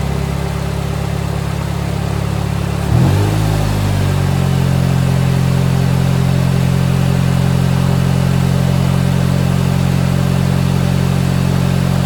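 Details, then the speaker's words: K-swapped Honda EG start-up; runs, drives, all fluids good. Starter catches, engine fires, flares briefly, then settles into a smooth, steady idle with no ticks or knocks: healthy motor, normal idle. "Yep, so there it is, running. It runs, drives, all fluids are good. That is a super healthy motor."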